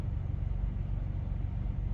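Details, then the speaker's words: BMW X5 E70 first start after installing two new VANOS solenoids to cure rough idle and drivetrain malfunction warning: low, steady even-beat rumble, no stumble or misfire, now running smoothly. "see oh yeah it's running smooth guys"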